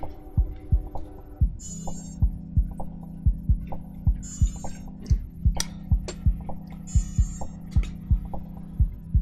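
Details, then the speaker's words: Combat robot converted to PS3-controller drive: the motor speed controllers give short high beeps about every two and a half seconds over a steady low hum and thumps, motors not moving; probably no signal yet, serial possibly needed. "I think it's beeping because it's not getting a signal at the moment."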